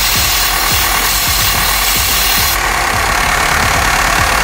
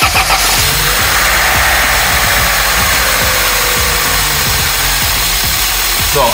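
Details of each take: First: Opel Astra F petrol engine after the blue hose to the air filter box was reconnected: steady idle with soft regular pulses under a constant airy hiss. Normal idle after the repair. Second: Opel Astra F petrol engine idling with an intake hose off: clear steady airy hiss of a vacuum leak; the hose runs to the air filter box, behind the filter, and reconnecting it fixed the hiss.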